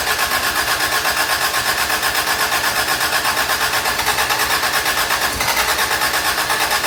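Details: Toyota Tercel 3A-C engine just reinstalled, third start attempt after fuel lines were connected: stumbles with uneven pulsing as it catches, then revs with choppy roar; flooded, cleared by shutting choke and giving gas.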